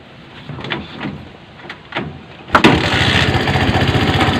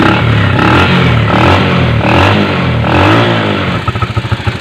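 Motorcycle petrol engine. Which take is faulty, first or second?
first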